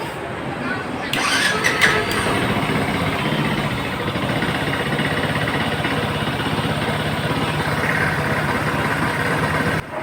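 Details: Yamaha FZ-S V2 after engine and cylinder rebuild for low compression no-start: fires on first press, catches cleanly, settles to steady, even single-cylinder idle around 2000 rpm, no misses or knocks; normal start and idle.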